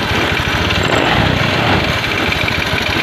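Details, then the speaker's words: Honda Scoopy FI after replacing a weak CKP sensor, following fuel pump and injector cleaning and valve adjustment: starts instantly and settles into a quick even idle with no misses; normal idle. "Dicoba dimatikan kembali lalu diarter kembali. langsung menyala ya."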